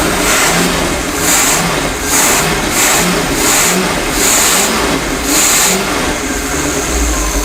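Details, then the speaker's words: 1977 Chevy K5 Blazer abandoned 20+ years, running its 260 hp marine V8 on old fuel with outdrive off: deep, even rumble rising and falling with throttle blips, no knocks or misses, 40 psi oil, charging; normal running. "oh it sounds good let's go get a listen 212 year old fuel"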